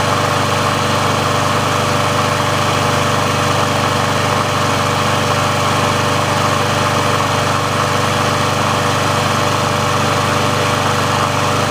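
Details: Sears Craftsman mower with Briggs & Stratton engine, final test after service and auto-choke repair, run about three minutes to warm: steady even drone holding constant speed, no misses or surging; auto choke plate opens properly, running normally.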